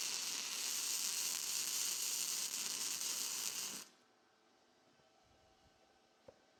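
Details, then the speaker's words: Vertical-up flux core welding on 15.24 mm plate at slow travel speed: crisp, even frying hiss with no chugging or popping. Correct stickout; a long stickout causes chugging, fixed by pushing the gun in. "When you hear it kind of chugging a little bit rather than just a straight sizzle, that's because my wire stick out's getting a little bit long, and by pushing it in a little bit, it cleans it right up."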